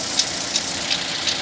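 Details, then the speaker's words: Fiat Fire engine running with the alternator and power steering belts removed: a light, regular high chirp about three times a second persists, traced to the worn timing belt tensioner bearing. "agora para você ver só rolamento da correia que tá rodando e o barulhinho continua tá vendo é esse rolamento aqui ó"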